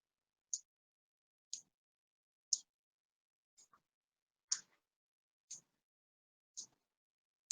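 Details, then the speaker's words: Arduino driving a relay module with the blink sketch: sharp light clicks once a second, relay switching on and off in a quiet room as the green light blinks; normal relay clicking. "the green light is going on and off and you can probably actually hear that clicking"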